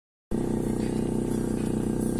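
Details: Car audio system: steady buzzing whine through the speakers in step with the running engine, caused by poor contact at the amplifier module connectors, not grounding.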